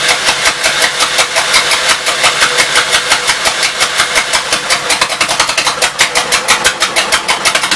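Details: 1952 Gravely L single-cylinder on the carburetor and throttle setup from a 53 L after suspected fuel delivery problems, set to idle: loud sharp popping at about three beats a second, steady, keeps running without stalling.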